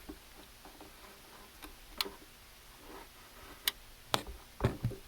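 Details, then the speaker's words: UV air cleaner in ductwork being diagnosed: safety micro switch under a mounting screw, clicks as screw is tightened: a few sharp isolated clicks over quiet room background; safety micro switch click. "So this screw right here has a micro switch underneath it."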